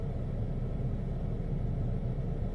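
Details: 2002 Renault Clio II, which after a flat battery was replaced cranked without starting and showed a steady red immobilizer light: a steady low idle rumble with no misses, knocks or hunting; the engine now starts and runs evenly; normal idle, fixed.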